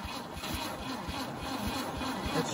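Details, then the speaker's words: 1971 MGB pulled from the woods after 20 years, first start attempt after fitting points and setting the gap: even starter cranking with firmer catches near the end, trying to fire; once running it sounded good, no knocking, some valves still sticking. "oh yeah hi y'all so it popped off and realistically sounds pretty good no knocking no valves hitting Pistons you know it actually runs pretty well"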